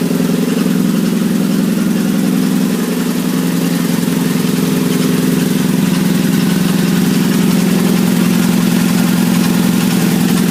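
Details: 1997 Nissan Altima with low power and stalling: loud steady idle with a regular rattle about three per second through light revving; distributor cap and plugs already replaced; eventually traced to a torn rubber gasket seal after overheating from faulty fans.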